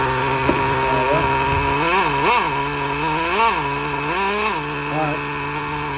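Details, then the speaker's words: Used Traxxas Slayer nitro RC truck after replacing the faulty glow plug, fitted with a homemade tube-and-tape silencer: high-pitched engine buzzes steadily, rising and falling cleanly with throttle blips, no stumbling; running normally. "right okay so we got it running the main thing is get it running"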